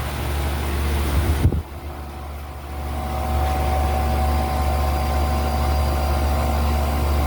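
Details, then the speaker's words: Home AC condenser fan motor that had seized and would not turn on, powered on after the DIY fix: a thump at power-on, then a steady, even low whir with no grinding as it spins freely; the motor later failed again on day two. "hopefully that's all it needed cuz this thing was seized it was not turning on"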